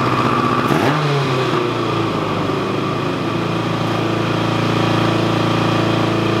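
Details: 1986 Kawasaki GPZ1000RX after sitting 17 years, running on freshly rebuilt carbs with reused o-rings leaking: it catches on the first try and holds a steady, even idle with no misses or knocks; soon after, it started puking coolant.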